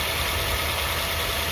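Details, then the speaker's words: Used car being inspected, engine started cold: smooth, even idle with a low steady hum and no rise or fall in speed, unlike a troubled engine hunting up and down; a healthy idle. "kalau mesin yang masih sehat dia akan stabil tidak seperti ini"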